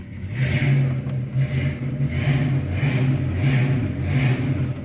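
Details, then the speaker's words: 1972 Ford Mustang Mach 1, factory Q-code 351 Ram Air V8, indoors, not fully warmed up: deep even rumble with about four smooth rev blips, no knocks or misses, good oil pressure; normal running. "We got her fired up, runs beautifully."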